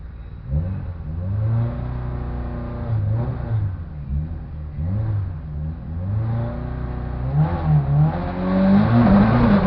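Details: Ford Focus RS on first drag-strip run with a bad misfire: revs surge unevenly and stumble, dropping out repeatedly under throttle; misfire was later fixed, then the clutch became an issue.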